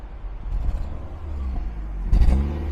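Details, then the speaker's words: Ford Focus, engine fault light on, shaking and struggling uphill, doors chattering, exhaust listened to: stumbling uneven idle, ragged on throttle blip; misfire from three failed ignition coils, water found in spark plug wells. "The car shook and didn't feel good, then kowtowed to the accelerator. I see you had a hard time going uphill just now. Shaking badly now The doors are chattering"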